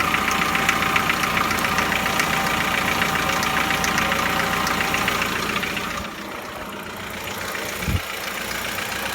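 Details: Chevrolet Lacetti 1.6, cold engine at idle: a steady, crisp ticking at about two and a half per second, then it drops away, and it is almost inaudible once warm. Cold engine knock, cause not identified.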